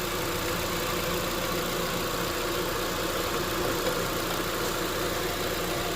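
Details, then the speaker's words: Honda being recharged with R1234yf through the low-side port, engine running with AC on: steady, even idle with smooth compressor hum, no knocks or squeal; clutch engaged and spinning once system pressure registered, working normally. "I can see the AC clutch is spinning now, so it's working good."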